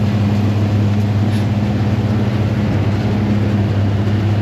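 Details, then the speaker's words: Fendt 926-driven forage blower filling a silo with cocktail mix from a Claas 960 chopper, with the table feeding it: a smooth, even low drone with a steady hum and no knocks, surges or rattles. Running steady, though not going up super fast. "There she is, running steady. We got the Fendt 926 on the blower. Not going up super fast, but better than going up slow."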